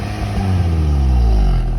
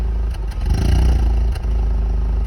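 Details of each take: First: Maruti Swift petrol after repair, part cleaned lightly with sandpaper and refitted: revving now climbs and falls smoothly with no exhaust popping or stumbling. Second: Maruti Swift petrol revved: irregular pops and stumbles from the exhaust/silencer on acceleration; idle rpm needle also fluctuates at low speed and the car lacks pulling power. Ignition misfire.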